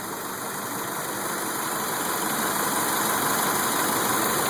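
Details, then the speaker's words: 2002 Mitsubishi Lancer petrol engine idling smoothly and evenly after the bad idle and no-start were fixed, with the fuse replaced last; normal idle, no knocks or misses. "It came up and um had no issues. And so this is the way it sounds."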